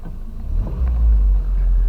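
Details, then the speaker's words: Car idling for Ohio E-Check, no check engine light, deep steady smooth low rumble, very quiet with no knocks or misses; normal healthy idle. "you can't even hear it"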